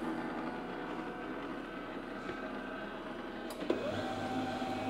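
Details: HP LaserJet M1132 MFP after repair and cleaning: even motor hum with soft paper-path whir, then a click and slightly louder steady run; printer operating normally.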